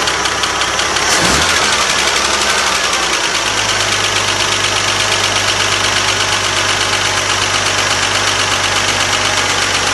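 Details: 1979 Jeep CJ-5, ex-orchard vehicle, non-running project freshly started; idling with fast, uneven ticking about three per second; owners wonder whether it is an exhaust leak or a ticking, not confirmed.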